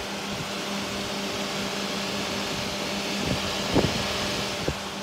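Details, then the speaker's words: Tesla electric car charging its battery: faint steady hum with a soft whir and light clicks from an ordinary cooling fan, quiet enough that you must listen hard; normal charging fan noise. "oh yeah there's gotta be a fan in all here there you go so tells us do make a tiny bit of noise"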